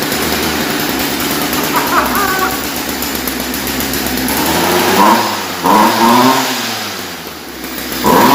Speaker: that actually runs really really good i got some smoke in here now but okay that's awesome so we know this one runs